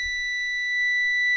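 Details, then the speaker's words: 2012 Ford, possibly an F450, 6.7 Power Stroke diesel, during turbo actuator diagnosis: a steady, unbroken high-pitched cab warning buzzer sounds without pulsing; the mechanic guesses it is the low air buzzer, but this is unconfirmed. "What the hell's that? Low air buzzer or something?"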